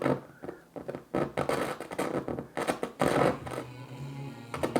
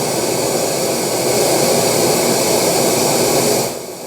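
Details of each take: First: Kenwood KR-44 receiver with A and B speakers: music drops out and returns with scratchy crackles and pops from a very dirty volume pot needing DeoxIT. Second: Kenwood KR-44 receiver after fitting new pair of replacement output transistors for blown ones: even, unbroken hiss at high volume with no cutting in or out; output stage now stable, new outputs run very hot, thermistor suspected.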